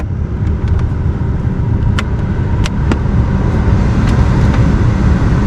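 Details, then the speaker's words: 1999-2007 GMC/Chevy truck after replacing the blower motor resistor (setting five had been cutting out): steady even rush of air over a low engine hum, no squeal or rattle; every speed works and the blower runs strong. "like it's blowing nice and strong every single one of them works"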